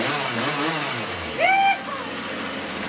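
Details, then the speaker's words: Two-stroke chainsaw after fixing reversed fuel lines (previous no-run problem), idle set so chain not moving: low settled buzz, no surging or stalling — normal idle. "you want to set the idle so the Chain's not moving"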